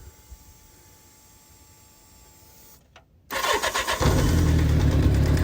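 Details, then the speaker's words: Kawasaki GPZ750 Turbo, cold, not started for about two months, choke on: near silence, then it catches after a brief crank and settles into a fast, slightly uneven choked idle; starts fine cold, smoking a little afterwards. "so this bike is dead now it's cold I told you I hadn't started it in a couple of months"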